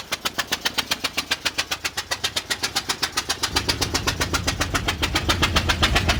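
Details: 2000 Ford Explorer Sport 2-door 2WD; sharp, even pops at almost four a second over a low engine drone; a persistent rapid knocking noise, source not pinned down.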